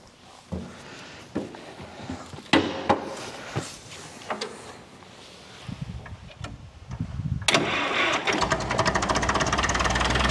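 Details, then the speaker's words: 1942 International TD6 crawler diesel started in gasoline mode through its carburetor and magneto; scattered clunks and cranking, then it catches and settles into a quick, even putter, starting and running smoothly on gasoline. "I'll put it in gas mode that'll let the carburetor fill up with gas I'll wait about 30 seconds and can start it up"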